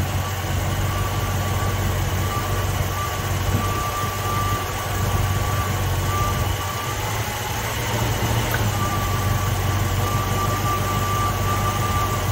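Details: Ford Mustang (1966/67) 289 V8 automatic at idle during ignition timing check: steady, even low rumble with no misses or stumbles; timing found right on the mark; normal idle.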